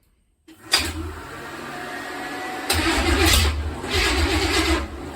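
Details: Small-block V8 cranks and sputters in rough bursts but never starts, with good cranking oil pressure of about 40 psi; the cause was the intake not sealing on the driver's side bank, a massive vacuum leak.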